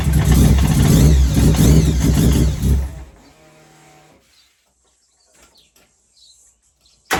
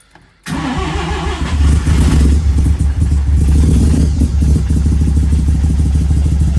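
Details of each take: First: Mazda 323 with 13B bridgeport-ported turbo rotary, first start after diagnosis and after fixing a fuel rail leak: fires and runs about three seconds with busy, even buzzing exhaust; starts and runs normally. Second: Mazda 323 with Bridgeport-ported turbo 13B rotary, replacement ECU, untuned: starts and settles into a steady, lumpy idle with uneven pulses only after roughly 30% fuel is pulled from the maps. Rich running from excess fuel, smoking heavily.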